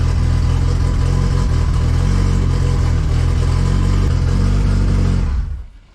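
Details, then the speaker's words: Mitsubishi 2G GSX on FuelTech ECU, after fixing no-RPM/crank signal at CAS connector and raising target idle: strong, steady engine note through a rev, no knock or misfire, clean shutdown; car now runs, fuel pressure slightly low, minor leak remaining. "Yes. Okay, so the car now runs."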